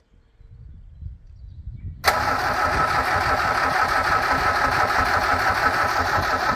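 Quiet handling, then the engine fires at once and catches into a steady, even idle; a clean start.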